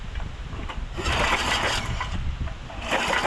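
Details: 1991 DR Field and Brush Mower, carb removed, no spark seen: engine cranks with a chugging rhythm but fires only once after starting spray down the plug hole, then dies; fuel starvation from a stuck carburetor needle.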